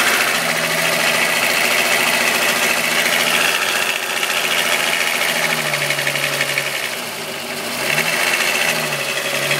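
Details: VW Golf VR6 2.9 with 103,000 km at idle: a constant hissy, scraping rattle rides high over the engine, like the timing chain rubbing. The noise got louder after replacing the upper hydraulic tensioner screw. Cause unclear.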